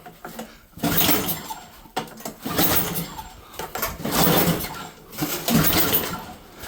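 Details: Snowblower at the first snowfall of the season, primer run, throttle on full, choke on: repeated pull-start bursts, each a rough rattling crank about a second long, with the engine not catching; hard cold start.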